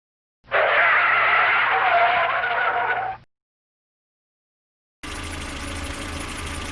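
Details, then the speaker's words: Renault Twingo Mk1 that was misfiring, now fitted with a new 2002 Clio 1.2 ignition coil and new leads: warm engine idles steady and even with no stumbles or skipped beats, misfire seemingly solved. "i've actually got a brand new coil um and it's got new leads as well it's all built in and the car is running sweetly"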